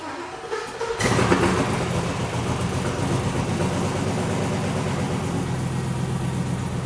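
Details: International Scout Traveler with LQ4 6.0 V8 and 4L80E swap, first start after fuel pump primed and leaks checked: cranks briefly, catches about one second in, settles into steady even V8 idle, no knocks or misses; normal start and idle.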